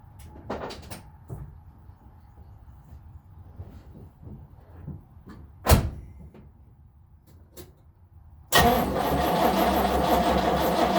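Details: 1970 Nova SS, first cold crank of 2023 after sitting since October 2022 with no battery charging. Scattered clicks and a quiet spell, then steady, even cranking that never catches: it turns over but won't start.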